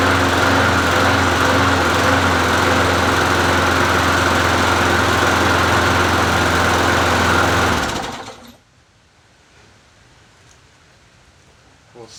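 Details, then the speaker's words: Free Bolens 22-inch push mower, 4.5hp Quantum engine, listed as non-runner, old-smelling gas, cold: runs at a steady buzzing speed about eight seconds then dies abruptly; stalling from stale fuel starving it. "how good is that gas in here anyway does smell a little old"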